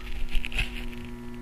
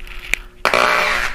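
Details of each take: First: Tube amp with cheap Chinese preamp, just powered on and warming up: faint steady 60-cycle transformer hum under quiet hiss, barely audible and normal; hum improved greatly after transformers were mounted on rubber grommets. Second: Startup crackle from the left channel of a tube amp fed by an inexpensive Chinese preamp, heard as the amp warms up: a sharp click, then a half-second burst of rough fizzy crackle over faint 60-cycle transformer hum.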